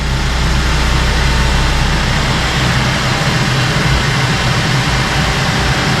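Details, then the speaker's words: 2014 GMC Acadia after the purge valve replacement, idling smoothly and steadily with an even low rumble and no ticking or clanking; the engine sounds healthy. "Let's fire it up and see what it sounds like. No more clanking."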